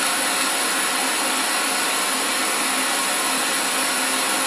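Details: 2015 Toyota Corolla LE with aftermarket LED headlamps on, radio sitting on the car: steady loud hiss with no station audible; RF interference from the LED headlights wipes out reception, also on the in-dash radio.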